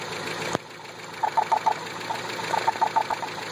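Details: Toyota 22RE engine running with bursts of sharp mid-pitched knocks in quick clusters over a faint hum; valves just adjusted hot, same noise when adjusted cold; exhaust leaks in two places.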